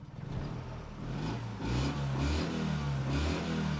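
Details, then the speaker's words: 1974 Honda Life Step Van small petrol engine, not yet warmed up: hesitates and stutters when the throttle opens, then picks up in uneven surges; carburetor stumble on tip-in, likely needing a tune-up or cleaning, better once warm. "if you step on it you get the typical carburetor kind of stutter before it starts revving have a listen"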